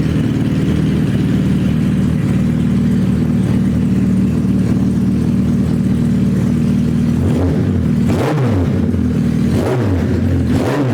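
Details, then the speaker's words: Suzuki Hayabusa GSX1300R after a wreck, newly fitted main fuel injectors, no exhaust: very loud even raw rumble on all cylinders, then several sharp throttle blips rising and falling cleanly; running healthy. "sounding good. It's loud cuz there's no exhaust on it, but it's hitting on all cylinders now."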